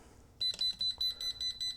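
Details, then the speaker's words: Pelsee 3500A jump starter with clamps deliberately reversed (positive on negative): high shrill beeps about six a second with solid red light; reverse-polarity warning alarm. "All right, so it gives you a solid red light and an audible alarm that you've got it connected wrong."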